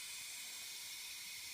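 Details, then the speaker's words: 2006 Dodge Caravan 3.3L, cooling system pressurized with a pressure tester: constant sharp hiss with a couple of small knocks at the end; coolant leaking from the intake manifold, a known leak spot on these vans. "pressurize the radiator, and actually you can hear it hissing. That's how bad it is. And there it is from the intake manifold."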